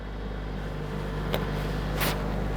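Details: Wrecked Mercedes-AMG A45 S being rebuilt, first start after a software flash (a sensor rotor adaptation fault code appeared): steady, even low engine rumble at idle with no misses, knocks or stumbles; running smoothly.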